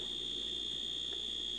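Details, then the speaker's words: Dash egg cooker end-of-cycle buzzer after glue-dampening hack, reheated with top on: steady moderate high-pitched buzz, much less noise and tolerable; glue did not melt. "much less noise you can live with it now to me it's just perfect"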